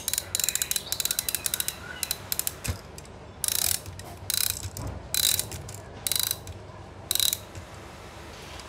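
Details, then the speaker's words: Antique chiming clock after repair of a broken hook/pin that made the chime run nonstop: at 55 minutes the train runs briefly for the warning lift, then at 60 the lever drops and it chimes. Light ratchet clicking and gear whirr; now correct. "Thì tới 55 là nó sẽ chạy một chút xíu lấy chớn nè. Đó. Giờ tới số 60 là nó sẽ sụp cái cò xuống là nó chạy luôn. Như vậy mới đúng nha các bạn."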